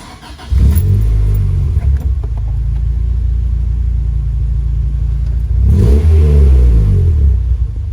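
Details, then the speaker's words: Honda Civic EK hatch with B18C1 engine, previously misfiring and idling rough, after swapping in a donor part: starts quickly, settles to an even idle, then revs up and down smoothly without stumbling; healthy running. "That's a very good sound. Hopefully. I think everything is good."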